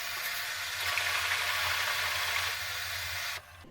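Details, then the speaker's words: Bosch Maxx 5 Speed Edition washing machine, after repairing a drain pump with a broken impeller: the drum is filled, then drained. A steady rush of water over a low, even pump hum with no catching or rattling; it drains normally. "Так, набрали воды. Теперь сливаем. Все сливается."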